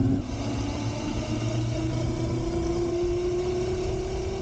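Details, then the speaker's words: Razor Pocket Mod electric scooter on stock lead-acid batteries after about 20 minutes of riding: thin motor whine creeps slowly up in pitch as the scooter slows and labours; motor struggling on a nearly depleted battery. "okay now here it is after riding it for some 20 minutes or so and as you can see it is starting to slow down and you can hear the motors starting to struggle"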